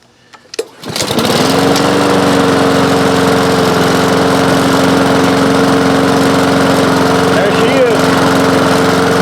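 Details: Honda lawn mower after carburetor refitted (it had too many gaskets): a couple of pulls, catches at once and settles to a steady, even drone with no surging or misses; normal running.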